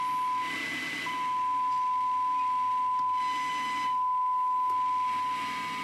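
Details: Siemens Super G7 radio chassis under restoration, during FM alignment with the dial set exactly to 87.5 MHz, the band's low end. A steady, clean high test tone comes through clearly with little hiss, so the tuning is right on station.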